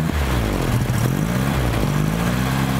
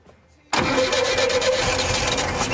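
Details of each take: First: 1975 VW Shorty bus, neglected 20+ years: after fouled plugs were cleaned it fires and idles with a low, steady, even putter, no stumbling; only a slight puff of smoke, probably from sitting. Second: 1975 Volkswagen Shorty bus, sitting neglected over 20 years, cranks steadily with no catch and never fires despite a dose of fuel; fouled spark plugs giving no fire, wiring connection also shaky.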